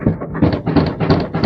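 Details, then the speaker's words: Miele washing machine: pushing down on the drum gives a loose, hollow rattle in five quick bursts about a third of a second apart; owner suspects failed shock absorbers or a broken spring, causing rumbling and vibration on spin. "And there you hear it, that rattling. So, something is broken."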